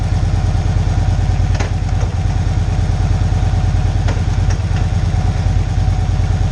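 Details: Victory Cross Country 106 V-twin, started after reassembly following a fix for hard downshifting, warming up stationary: low, even lope at idle, about three beats a second, no clatter or misses; normal idle.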